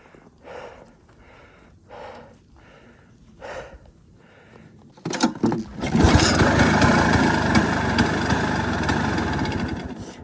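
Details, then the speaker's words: 1973 Yamaha two-stroke snowmobile, sat 8 years, engine loaded with transmission oil, plug cleaned repeatedly: after a few pulls it catches and settles into a fairly steady idle, running better as oil clears; rough idle, cause suspected not confirmed. "It does sound like it's running better."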